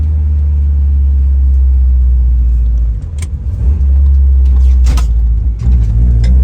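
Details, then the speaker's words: Engine-swapped car on its first drive in two years, with a newly tuned VE table: a steady, deep, even drone through light throttle changes over bumps. A healthy engine; a knock sensor code and a non-reading wideband O2 sensor are noted. "but she's driving she sounds good and healthy got the auto response much better with the ve ve table"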